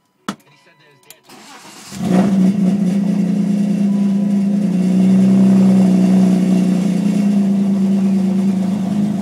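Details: 328i starting: the starter cranks for over a second before the engine catches, then it settles into a steady idle; hard start, cause unknown.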